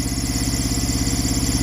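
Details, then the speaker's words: Truck APU small diesel after oil, coolant and oil, air and fuel filter change: steady idle rumble with a thin, constant high squeak over it from the AC clutch pulley. "obviously you can hear her running got that squeaky pulley but that's the uh ac"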